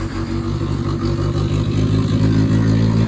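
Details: 1977 Chevy LUV, first real start after 18 years in a salvage yard: lumpy, uneven low beat that wavers and stumbles; the engine is slightly flooded and the carburettor needs adjusting.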